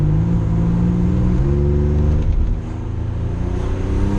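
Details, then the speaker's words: Car on test drive with a miss at low rpm and light load, coil pack already replaced without change: uneven, stumbling exhaust beat with dropped pulses and surging, misfire still present; owner suspects a bad cam sensor. "Still cutting out. Did you hear it when I was right there? It cut out here. It's like surging right now."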